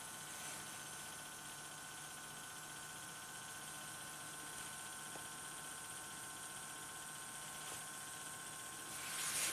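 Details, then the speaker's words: 2010 Toyota Corolla, 102,000 miles, codes P0441/P0455, engine off, EVAP leak check: steady faint electric pump hum, fixed high tone; pump only reaches 0.6 psi and stabilizes, either a leak or a weak pump, not confirmed. "Alright, this leak detection pump is pretty weak sauce. We're only down 0.6 psi. It seems to have stabilized there, so that either means we have a leak or a weak pump."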